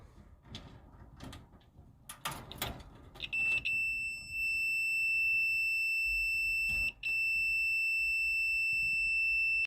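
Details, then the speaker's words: Multimeter continuity test on an electric dryer's thermal cutoff fuse during a no-heat diagnosis: steady high-pitched beep for several seconds with one brief break, showing continuity, so the fuse is good. "So here we're doing a continuity test, and this one is good."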